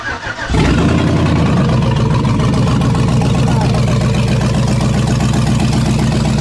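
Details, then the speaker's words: Abandoned 2007 Chevy Tahoe with a rebuilt 5.3 V8 and BTR Truck Torque cam, first start on open headers with no exhaust: catches instantly and settles into a loud, even, lumpy idle with no misses or ticks; healthy. "dude that was so loud it sounds so good it sounded good but also too loud it needs the exhaust"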